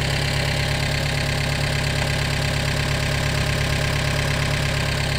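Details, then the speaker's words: Gehl 3510 skid steer, freshly started without choke after a new throttle cable and fuel priming, idle set down: a steady, even low thrum with no stumbles or knocks, a normal smooth idle. "More more gas for that thing running great. I'd heard on the internet these things are kind of a fickle little engine, but I'm not going to complain with this one."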